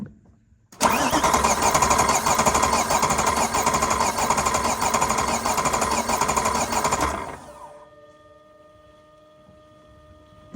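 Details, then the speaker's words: Supercharged Dinan BMW E93 M3 with ProCharger, misfire and blow-by, compression test: about six seconds of steady cranking with uneven beat; cylinder 3 under 30 psi, failed piston rings. "it did not go over 30 PSI that is extremely low compression so that one's no good"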